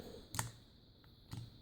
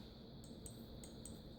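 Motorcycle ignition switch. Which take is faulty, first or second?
first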